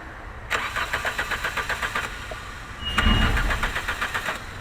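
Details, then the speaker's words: VW A3 no-start (no-crank) check: starter jumped directly at the pin with the car in park gives two strong, even cranking bursts, spinning the engine briskly; starter and battery are good, so the alarm module is disconnected next to rule it out. "okay so we know the starter is good we know the battery is good"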